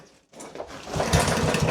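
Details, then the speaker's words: Yardman 139cc overhead-valve mower with jets drilled out to 3mm, running on PB Blaster penetrating oil instead of petrol: rough engine catches and settles into hard, rapid knocking that grows louder, running harshly like a diesel. "It's knocking pretty hard."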